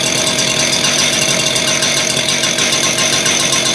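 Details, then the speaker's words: Freshly rebuilt two-stroke concrete saw, started with choke and primes, new clutch still wearing in: fast, buzzy rattle held at a steady high pitch with no dips; owner thinks it idles a little too high. "like it's idling a little bit too high I guess let that clutch wear in a bit too though right"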